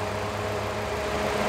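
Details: 2012 Fiat Punto 1.6 16V E-torQ after spark plug cleaning and gap adjustment and new fuel filter, oxygen sensor checked on scanner: steady, even idle with smooth low hum, no misses, knocks or hunting; idling cleanly.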